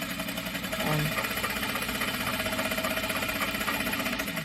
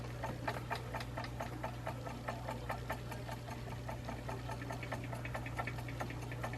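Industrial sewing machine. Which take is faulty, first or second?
second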